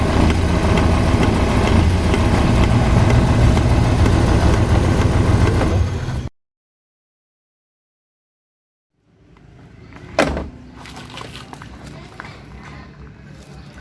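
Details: Carbureted car with repeated stalling, after carburetor refilled: engine catches and settles into a steady, even idle with a low regular beat and no misses, running normally.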